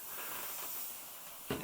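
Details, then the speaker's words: Used road tubeless bike tyre with sealant re-inflated to about 50 psi after failing at 30 psi: soft continuous hiss then sharper burst as air escapes through four small punctures about 1 mm or less; sealant has not sealed. "the air is leaking out through that so it hasn't sealed that one is leaking it hasn't sealed that one is leaking"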